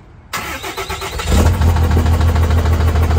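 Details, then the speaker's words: Roughly 1400 hp lifted Cummins dually, just after a crash: turned the key and it cranks and catches, then a heavy, fairly even knock at about three per second over a rough idle; serious internal engine knock. "yeah I just I turned the key and it just started knocking"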